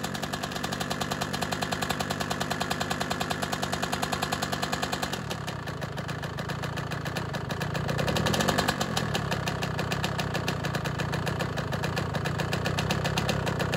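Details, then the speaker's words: CR125 two-stroke, first start after cylinder replating, new Wiseco Pro Lite piston and new head, mild ambient temperature: fast, crisp tick over a choppy idle that follows engine speed on blips; owner suspects big-end bearing, unconfirmed. "so it started up but it's making a little bit of a noise i don't particularly like maybe a big end bearing i was hoping those were okay"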